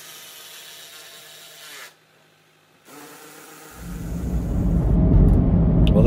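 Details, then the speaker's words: 16-year-old Land Rover Freelander after a new alternator was fitted: engine catches after a quiet stretch and settles into a steady, even low rumble with no knocks or misses; perfectly smooth normal idle. "And there's the engine running. As you can hear, perfectly smooth."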